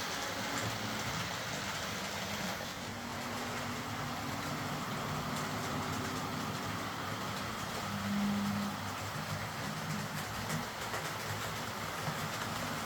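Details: Old Hornby R751 Class 37 model locomotive after repair, wheels cleaned of corrosion with a rotary tool and brass brush, body refitted, on track: faint, even motor hum with soft wheel rumble, no stutter or grinding; normal running.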